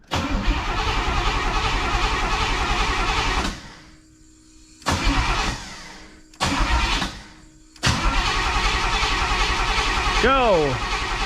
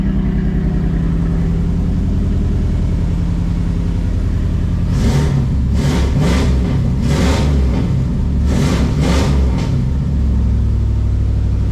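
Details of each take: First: 1985 Pontiac Trans Am: starter cranks in repeated bursts but the engine never catches, a no-start from a fuel pump issue, with fuel leaking from the main feed line. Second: 1985 Pontiac Trans Am engine, regasketed, newly fitted 3-inch exhaust, timing not yet set: deep steady idle, then quick revs rising and falling cleanly; running all right.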